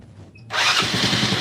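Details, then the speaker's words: Motorcycle left unused about a week during the Lebaran trip, after charging its run-down battery: brief starter whir, then fires at once into an even, buzzy idle; normal electric start. "Kita coba lagi. Oke, alhasil mantap. Langsung nyala ya ini"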